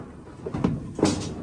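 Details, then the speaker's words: Washing machine drum shoved by hand: two dull, hollow bangs as the drum knocks the cabinet. Found that the corroded shock-absorbing suspension cords are broken. "all right so this thing was going boom get a bang bang boom but a bam and the reason why it's doing that is because the shock absorbing cords are corroded see how they broke"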